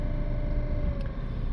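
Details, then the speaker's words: Citroën Berlingo / Peugeot Partner van heater blower motor, faulty and progressively worse, very loud on lower settings: steady whirring hum with a rough rumble that dips and changes in strength; noisy worn blower motor, later replaced. "um it doesn't seem to matter what setting I have it on if I put it on a higher setting you don't really hear it just because of the noise of the blowers but the lower settings definitely make lots of noise and it's been driving us around the bend"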